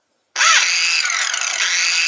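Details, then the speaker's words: Makita angle grinder: spins up with a rising whine then runs with a harsh, uneven hiss and rasp, sometimes starting badly, sometimes fine; abnormal running noise, owner suspects a failed bearing, not confirmed. "Vou ligar ela só pra gente estar ouvindo o barulho dela que tá muito estranho. Olha só o barulho que ela tá fazendo."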